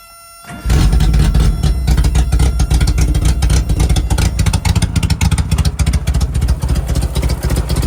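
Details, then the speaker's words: 1988 Suzuki Samurai parked since the late 1990s, straight-piped with no exhaust at all: engine catches and settles into a loud, raw, popping idle with sharp exhaust cracks. "I got to put on my earphones in case it fires up because, like I said, it is straight piped, as you can hear. There's no exhaust at all on it."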